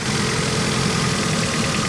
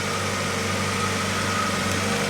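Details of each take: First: 1991 Honda Civic four-cylinder after 10+ years sitting and head gasket replacement, cylinders lubricated, idle cylinder test: rough uneven idle with irregular stumble, number 2 a dead hole missing badly; maybe not burning fuel, cause unknown. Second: 1991 Honda Civic after 10+ years sitting, idling after head retorqued following suspected head gasket issue (first torque per manual apparently insufficient): smooth, steady low hum, no knocks, misses or stumbles; nice and quiet, problem appears fixed.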